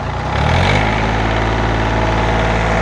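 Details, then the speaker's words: John Deere 855 diesel tractor, barn rescue, now running properly. Steady low diesel clatter settles into an even idle after a brief rev, with no misses or knocks; it sounds healthy. "now it's running properly idle it down"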